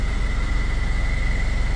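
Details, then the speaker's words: Ford Everest 3.0 diesel automatic, idle pulls down heavy and uneven when shifted into reverse, nearly stalling; also clunks in neutral; torque converter suspected. "Pag nag-shift tayo ng gear, ayan, reverse. Ayan, oh. Halos patayin niya yung makina."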